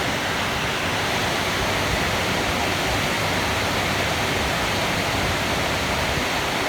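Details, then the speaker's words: Used eBay blower fan for a 1989 Mercedes-Benz W126 bench-tested on a 12V power source runs with a steady, even rush of air, no squeak, tick or rattle; normal, replacing a squeaky original. "here is a the used fan that I got on eBay just making sure that it doesn't doesn't make any noises here"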